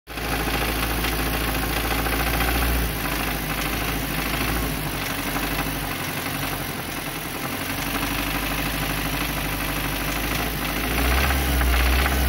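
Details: Nissan Terrano idling with a rough, busy rattle over the run, attributed to a slack timing chain.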